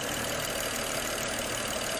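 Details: 2010 BMW 535i xDrive wagon (E61), auction car with prior improper repairs, fuel pressure on spec: steady even idle with smooth continuous hiss, no knocks or misses; engine running decently though still slightly rough at times.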